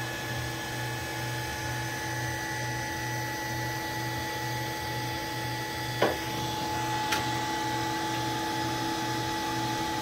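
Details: Allen Bradley MPL-B330P-MK74AA servo motor, test run after repair on an Allen Bradley drive: a constant, clean motor whine over a low steady hum, no grinding or knocking. Normal run.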